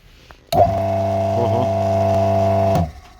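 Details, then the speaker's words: Single-phase AIR induction motor with large start capacitor on a three-wire soft starter: starts smoothly but a loud, harsh steady hum and vibration absent on direct mains; the starter isn't fully open while running, clipping the sine wave. "Но есть один момент он очень сильно гудит [музыка] то есть вот этот вот вибрация сильно ее не было при работе от сети напрямую"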